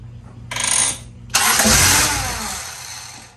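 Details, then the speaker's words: Integra GSR B18c1 all-motor on a P-75 ECU with Omni Power 3 bar MAP sensor, no codes thrown: short crank, catches with a loud rush, then fades and stalls within two seconds; won't stay running. "no she really doesn't want to run in try again oh back to the drawing board"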